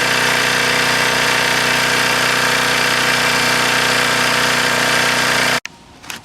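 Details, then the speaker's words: Old Craftsman 2400 W generator, Briggs & Stratton engine, after carb refit and priming, main jet screw turned in one turn: started on the first pull, steady even drone with fast regular beat, no misses or surging, then cuts off. "All I did was I turned the main jet screw in a whole turn. It started on the first pull, and that's how it runs."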